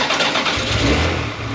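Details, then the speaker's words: Ferrari 360 Spider V8 started after DIY thermostat replacement and coolant refill, before bleeding and warm-up (dealer had diagnosed overheating as bad thermostat): starter whirr, prompt catch, even steady idle, no misfire or knock; sounds healthy. "There we go. Sounds healthy."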